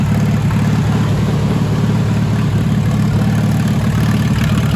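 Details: "Minnie" tractor running again after a water-jacket bushing/capillary repair: a loud, deep, unmuffled idle with an even beat of about three pulses a second and no knocks or misses. Good oil pressure, not charging. Healthy idle.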